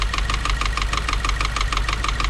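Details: 2016 Subaru WRX FA20 engine with a loud tick, heard before teardown. Sharp metallic ticking, about six per second, over a steady idle; valvetrain or cam-area source suspected, owner worried about a piece out of an intake sprocket.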